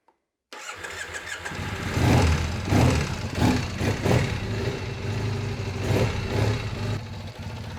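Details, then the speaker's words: 2001 Triumph Bonneville T100 petrol twin, on choke after long lay-up: starter catches after half a second, then fires into an uneven but steady lumpy idle with a few blips; no-start resolved, running. "oops so it starts it starts thank goodness that was easy"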